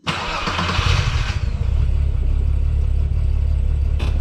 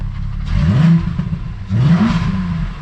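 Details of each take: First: 12v VR6 Jetta wagon after refresh, stalled on clutch-in then restarted: brief crank, low steady idle with a few light knocks; owner suspects empty fuel filters and throttle body re-adapting. Stalling then restarting. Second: 12v VR6 Jetta wagon at home after first drive since refresh: two quick blips, revs climb and fall cleanly, crisp even note, no knock or rattle; coolant leak found afterward. Normal revving.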